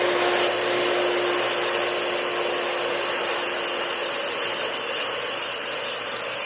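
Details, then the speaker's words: Challenger 1.5 hp pool pump started after shaft seal and bearing seal replacement to fix a leak: steady, even whirring hum with an airy hiss, no rattle, grinding or surging, pulling water in and running smoothly. "so now we're ready nothing caught on fire nothing sparked it's always a good sign it's pulling water in that's a good sign"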